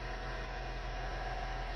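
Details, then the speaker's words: Engine that is normally quiet now idles with a constant rough whirring over a low hum, an odd noise in the engine bay. "Tahimik kasi makina nito guys. Ngayon medyo siya, maingay. Parang may kakaibang tunog talaga."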